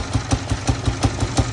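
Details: 2017 Jaguar XF diesel at idle: heavy, regular metallic knock about five times a second over a rough idle. Suspected valve problem backfiring through the intake, with blow-by. Engine knock, not confirmed.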